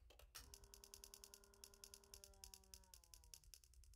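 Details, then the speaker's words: Gas furnace spark ignition control with the ignitor wire pulled: quiet, rapid snapping ticks about seven a second, no burner lighting, then the sparking stops; the spark arcs inside the module rather than at the spark rods, so no flame is proven. "sparking inside the module not over at the uh spark rods over here and so it was initially uh sparking on the inside here and then it shut off"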